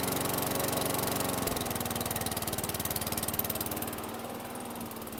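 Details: 2008 WeedEater 22" mower, Briggs & Stratton 500 series 158cc (10T50), flooded under six feet of water, after maintenance: steady single-cylinder putter firing evenly, easing down, no misses or knocks, still smoking from oil in muffler; running normally.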